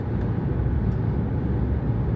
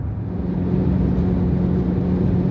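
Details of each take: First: Jeep Grand Cherokee WK2 at highway speed around 75 after padding the windshield cowl contact points: steady road and wind rumble, no humming tone; the cowl is now quiet. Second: Jeep Grand Cherokee WK2 on the way to the freeway: steady low hum over road and wind noise from the plastic windshield cowl between hood and windshield, gapped at its rubber seal, heard when wind speed on the cowl reaches 70-100 mph.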